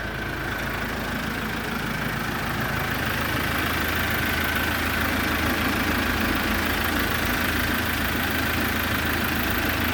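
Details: Kia Bongo engine after full overhaul (new pistons, rings, bearings) following 2-3 years sitting: steady, even running with no knocks or ticks; the rebuilt engine sounds smooth and healthy.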